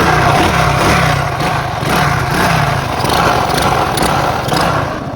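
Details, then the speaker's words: 50cc motorcycle ridden without an air filter: loud, rough, uneven running with a hard beat under the exhaust note; mechanic says it is an internal engine knock, not the spark plug, with dirt wear suspected. "Is não é vela não, amor. Você é o motor que bateu."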